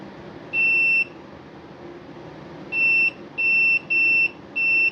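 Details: Husqvarna 150BT backpack blower that won't shut off: continuity tester gives five short high beeps in uneven bursts as the kill-switch wire is flexed; broken copper wire inside insulation making and losing contact.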